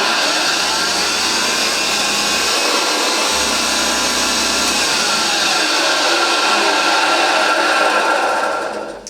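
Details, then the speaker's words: Vintage Hoover 612 upright vacuum after refurbishment, slower-running motor than later Hoover Celias giving a purr: smooth, steady motor drone with even airy rush, no rattles or scraping; normal motor running. "Have a look at that, but as you can hear, it is absolutely superb. These machines, they actually, I think, run a bit slower than the later Hoover Celias, though they are pretty much the same motor."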